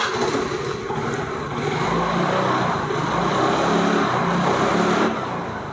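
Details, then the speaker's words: Maestro Edge/Activa scooter after reinstalling the drive (bendix) gear parts to fix footboard/handle vibration and low pickup: engine note climbs evenly on throttle, no shudder on initial pickup, vibration now near zero. Normal smooth acceleration after repair. "इसका acceleration जो है काफ़ी ज़्यादा smooth हो गया है। पहले जो वाइब्रेशन आता था इनिशियल पिकअप लेते वक्त वो काफ़ी ज़्यादा था, लेकिन अब इसका जो एक्सेलरेशन है वो काफ़ी स्मूथ हो गया है।"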